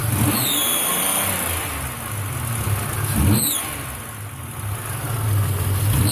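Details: Petrol engine revving up and down with a sharp puffing hiss on each rev; exhaust gases escaping through a small crack in the exhaust manifold, caused by a plugged catalytic converter.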